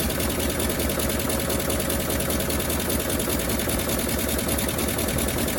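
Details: 1957 Bel Air that sat 30 years, gravity-fed from a gas can, idle turned up slightly, steady idle with fast sharp raspy ticking puffs, about 150 a minute, from a massive exhaust leak; water pump or generator locked.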